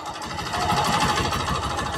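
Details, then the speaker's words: Honda Beat FI K44 second generation: rough rattly clatter at idle that hardens as RPM rises, dominant mid-engine; mechanic rules out cam chain tensioner and valves, diagnosing piston slap. "ini beda ketika idle suara kasar ketika tambah RPM suaranya semakin kasar fix ada bagian piston bukan setelan keteng"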